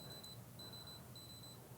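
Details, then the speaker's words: Fluke 125B scope meter in record mode with the event threshold off, measuring a thermocouple at about 20.5°C room temperature. Short high-pitched double chirps every half second or so: a beep at each new min or max. "so you hear the beeping every time there's a new min and max"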